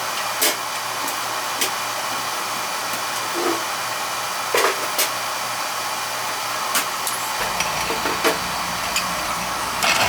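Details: Oil burner's first service of the 2022 heating season, outside chimney, low limit set at 180: steady even roar and hiss of the flame with a low hum settling in partway; burner lights and runs cleanly.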